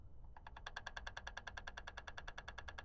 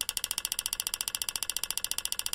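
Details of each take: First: GM 3.6 LLT with EVAP code P0442, new purge valve solenoid commanded with an XTOOL D8 after the old one was confirmed faulty: steady, crisp ticking about 2.5 per second, much less clicky than the old valve; normal. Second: Front-wheel-drive car with P0442 EVAP code, old purge solenoid driven by scan tool bidirectional test: sharp, crisp, loud even clicking about ten times a second; purge valve confirmed faulty by vacuum test.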